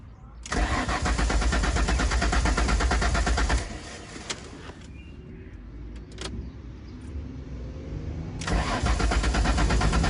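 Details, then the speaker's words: Ford Mondeo ST200 after fuel pump module and idle valve replacement: starter cranks steadily about three turns a second, stops, cranks again, pump primes but engine never fires; owner suspects empty pump, unconfirmed. "so i'm not sure if you can hear this but the you can hear the pump prime to fetch the engine on and just not quite firing for whatever reason i'm not too sure"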